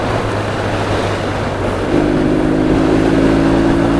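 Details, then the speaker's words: Triumph T140 twin on the road with AMAL Mk2 carbs fitted with bigger 210 main jets, 25 pilot, 2C3 needle mid clip, 2.5 cutaway: note rises cleanly and instantly on throttle, no dead spot or stumble; good carburation, intake drone from filter boxes. "and if you look it's just instant there's no dead spot or nothing"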